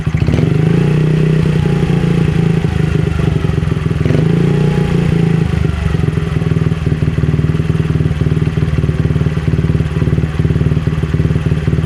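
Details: Honda CRF50 after fixing a pulsing, surging idle caused by a bent throttle cable elbow and damaged cable rubbing the throttle housing: carb spring and throttle cable replaced; now holds a steady even idle after brief blips, no hunting; normal idle.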